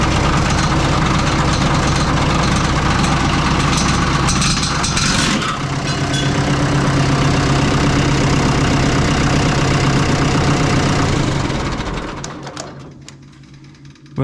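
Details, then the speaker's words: Oliver 66 diesel tractor idling after an oil change to clear fuel-contaminated oil; a steady fast tick, about four a second, then cuts off as the cracked fan blade striking the shroud breaks right off. "lost a fan blade yeah yeah she broke right off"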